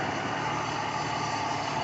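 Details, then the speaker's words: 1968 Mercedes-Benz 280S, not run in years, fuel pump audibly humming, gas dripping: started right up, steady even idle with no knocks or misses; normal idle, though fuel leak found afterward. "started right up it was dripping over gas in there but seems to be running okay now"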